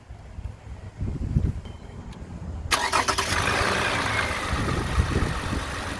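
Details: 2010 Toyota Camry XLE after water pump replacement: short crank, quick catch, then smooth even idle with no knocks, ticks or squeals; normal idle.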